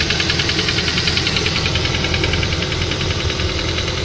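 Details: Nissan CR14DE engine on a cool morning idle: fast, even clatter of three or four knocks a second; verdict faulty variable valve timing (VVT-i) phaser.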